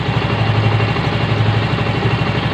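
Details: Yamaha Mio M3 125 scooter after engine repair, about 80% improved since worn conrod and crankshaft bearing were not replaced: steady, even low idle thump with no knocks or misses.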